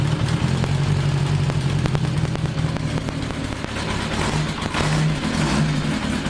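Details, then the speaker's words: 1982 Kawasaki 750 LTD first start after rebuild, new battery, temporary DIY air filters: engine runs but idle hunts and pulses unevenly with some sputter when blipped; carburetors still need adjustment, spark to be checked. "well as you can hear and can see probably it still needs a lot of adjustments so that still has to be done and uh but the engine in general uh is running fine so there are a lot of carburetor adjustments to be done"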